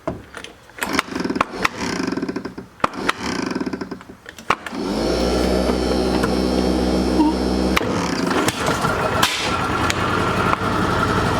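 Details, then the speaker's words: Argo small engine, revived 2019 and started on choke with dirty fuel: irregular cranking clatter, then a rough, uneven drone; no obvious rod knock, noise seems to come from the clutch side, cause unclear. "where's that noise it sounds like it sounds like it's coming from the cold side"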